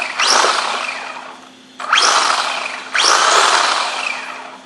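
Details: Losi SCT RC truck right after a motor install, forward and reverse working: three quick throttle bursts, each a bright rising whine easing off, with no grinding or clatter. Normal motor running.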